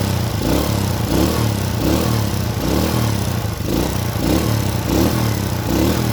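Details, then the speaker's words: Motorcycle carburetor engine warming up at idle: lumpy stutter surging and sagging about every three-quarters of a second; running too rich from nozzle, long needle and main/pilot jet problems, causing black spark plug and stalling. "Oke, suaranya sudah berubah, tidak seperti sebelumnya. Terbata-bata, terbata-bata."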